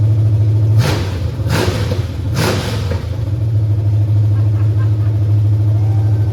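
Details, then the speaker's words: 1989 Mustang GT 5.0 carbureted V8 (stock shortblock, GT40 heads, mystery cam, longtubes) first start in a while: fires right up, three crisp throttle blips dropping back to steady, even idle with no knocking; healthy. "Man, this sounds pretty snappy too. All right, man. Woo! Man, fired right up too."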